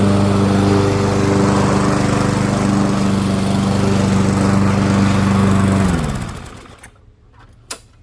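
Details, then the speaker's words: Curbside-found Weed Eater lawn mower, small single-cylinder engine revived: steady, even drone with constant pitch until shut off and winding down; normal running. "sounds good I think we'll give the car of a quick tidy and there are a good rinse and change oil where we go"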